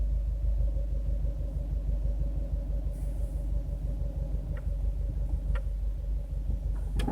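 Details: Subaru WRX, recorded from the driver side of the engine bay: sharp pops and creaks from the front when weight shifts front to back (stops, accelerating from a stop, bumps). The noise is new since a turbo replacement.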